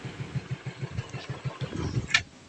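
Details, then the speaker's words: Yamaha Mio Sporty scooter, fixed after a weak battery and a non-working regulator made it stall when braking. Even, steady single-cylinder idle at about three pulses a second, no dying out. Normal idle. "battery niya mahina tapos regulator niya Hindi nagana kaya pag pineo namamatay ngayon okay na goods na"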